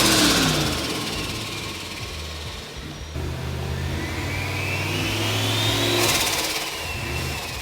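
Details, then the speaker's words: HX Holden ute with a 4.0L 1UZ-FE V8, Garrett GT4088 turbo and Haltech Sprint 500, about 400 hp, built nearly 20 years ago; free revs climb hard and fall back with a clean turbo whistle tracking the revs; healthy turbo engine revving. "can you give it a REV so I can hear that turbo noise"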